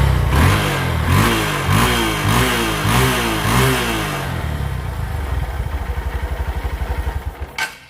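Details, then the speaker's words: Honda Verza motorcycle after TPS sensor error (8-blink code) cleared: starts, takes several quick blips that climb and drop cleanly without hesitation, then settles into an even idle; throttle response healthy. "Dan untuk gasnya itu enak. Jadi, begitu hidup kita tarik gas kayak gini langsung respon ya. Enak."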